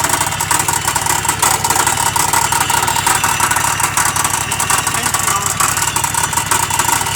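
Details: Exmark 60-inch mower engine running at steady speed; loud and harsh with a fast, uneven knocking riding over it; internal fault, cause not pinned down.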